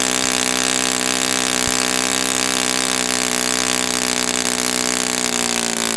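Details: Brand-new customer Saito FA-100T twin glow engine on test stand, break-in run: steady, even high-pitched buzz at constant speed, no misses or surging; rich setting, lots of oil coming out, not lean. Normal rich break-in run.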